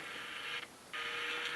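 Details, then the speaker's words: Mid-1960s GE transistor radio, continuity from phone jack to speaker but speaker not firing: radio hiss and sound suddenly drop out then return, flaky connections cutting the speaker; bad wire later replaced and joints resoldered; intermittent speaker output. "i don't know what i did but i think i coaxed the speaker to work a little bit take a listen so these connections are really flaky"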